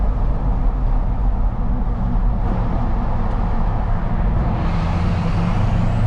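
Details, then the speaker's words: Pickup on 33x12.50 AMP Terrain Attack MT tires on 22x14 wheels, windows up, cruising downhill at about 50 mph: steady, low, even tire drone with no thump or howl; normal, quiet tire hum. "cruising about 30 you can barely hear them windows up just kind of cruising downhill at about 50 miles an hour"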